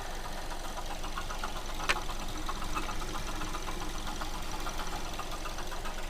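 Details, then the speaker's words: Mazda2 idling with a light, uneven ticking knock of about three to four per second, distinctly heard from the alternator side; tensioner pulley seen moving, water pump suspected, not confirmed. "мы стучит звук отчетливо слышно со стороны генератора"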